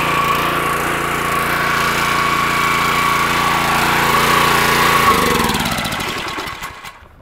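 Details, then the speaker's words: Petrol pressure washer after internal repair of suspected unloader valve fault (previously engine stopped immediately at shutdown, pressure not released): steady, even drone then smooth, gradual spin-down as it should; normal run and shutdown. "that's the way it's supposed to shut down if you remember before kind of shut down and just immediately stopped"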